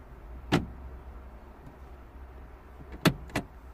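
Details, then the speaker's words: 2009 Smart Fortwo 451, 1.0L 71hp petrol, crank no start with a current and stored clutch system fault. A quiet background is broken by three short motor whirs, one alone then two close together; the gearbox actuator is engaging gears. "let's see there first I can I can hear it yeah I can hear the the gear system engaging gears clutch system fault"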